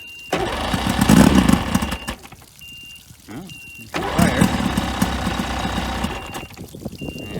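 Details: 1995 Spectrum 16 Dominator boat's outboard after sitting 22 years, on flush muffs, spark checked, old fuel pumped out and fresh fuel added: catches after short cranking bursts, settles into a steady, even idle with water splashing; normal start and run.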